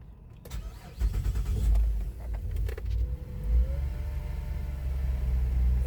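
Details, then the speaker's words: 2010 Chevrolet Traverse just after timing chain replacement, spark plugs and valve cover gaskets, parts temporarily hooked up, coolant low: a few clicks, engine catches quickly, settles into steady low idle without knocks or chain rattle; healthy start. "Yeah, it's idling great. I don't have any uh I need to put coolant in there."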